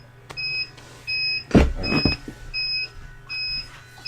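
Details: UPS running the bench during a power outage, heavily loaded, with batteries weaker than expected. Steady high beeps about every three-quarters of a second over a low hum: low-battery alarm warning the battery is nearly flat.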